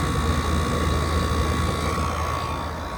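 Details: 2012 Frigidaire 18,500 BTU slide-out chassis window/wall air conditioner, R-410A 27 oz, 220 V, almost 14 years old, first spring startup at about 88°F outdoors. Steady smooth mid-pitched hum, even fan whoosh, no knocking or rattles: normal compressor running.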